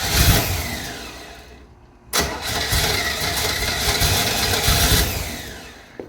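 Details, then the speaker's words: 1968 Camaro, 327 V8 with 4-speed, freshly fitted Holley carb with idle not yet set: uneven cranking with weak catches that die away; mechanical pump not filling the bowls, front bowl empty, so fuel starvation stops it firing. "See if I have anything in the bowl there. There's nothing in the front bowl. Might not even have No, there's not gas going in. That's why it's not firing up."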